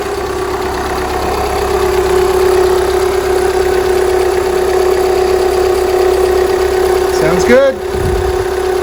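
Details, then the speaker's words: 2011 VW Jetta TDI Sportwagen, CJAA common-rail diesel, over 100k miles, after timing belt, tensioner, idlers and water pump job: steady even diesel clatter at idle, constant hum, no misses or knocks; healthy. "so the car's back together and running really well"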